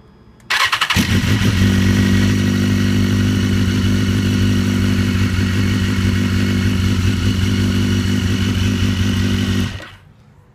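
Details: 2010 BMW S1000RR, 16,000 on it, cold start: quick metallic rattle lasting about two seconds (half a second on second start) then steady idle; attributed to a bad cam chain tensioner needing replacement.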